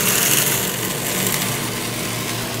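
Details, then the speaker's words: Acrylic centrifugal pump trainer, electric motor via magnetic coupling, after suction valve reopened to raise suction pressure so fluid no longer flashes: hissing crackle fades to a smooth steady hum. Normal pump operation, no cavitation. "increases the pressure on the suction side of the pump less and less vacuum to a no longer flash and we no longer cavitate and that's a happy pump"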